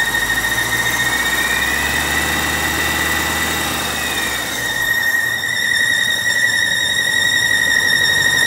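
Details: 2006 BMW 750i at a quiet idle with a steady, constant-pitch high squeak from the engine bay. Owner thought it was the belt but it wasn't; cause unknown.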